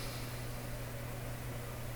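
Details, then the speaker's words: Canadian Admiral J104X/J105X console amplifier run at reduced voltage (about 91 V): steady low hum around 120 cycles under faint hiss, expected to worsen at full voltage; mains hum, weak power-supply filter capacitors suspected, source not yet found. "so for sure if I put this up full voltage that home is going to become really quite distinct it's bad enough right now"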